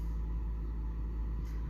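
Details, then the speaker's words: Integra with intermittent hard starting and a rough, lumpy idle, as if misfiring; unburnt fuel is smelled. New ignition coil, plugs re-gapped, idle air control valve checked; owner suspects spark and plans to check the coolant temp sensor. "So it's still rough. It's kind of like it's not firing right, like, you know, spark or something. Because I smell gas, unburnt fuel when it happens."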